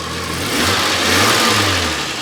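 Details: Renault 25 V6 Turbo after ECU repair fixed the idle control problem: engine rises and settles smoothly with an even note and no knock or misfire; running very smoothly.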